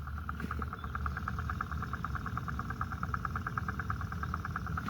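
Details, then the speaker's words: Quick, even clacks about three per second under a faint rush of water from an irrigation backflow preventer valve stuck slightly open and leaking; clacking stops when the main shutoff is turned a quarter turn. "It's It's just barely stuck open, but you can hear it clacking here."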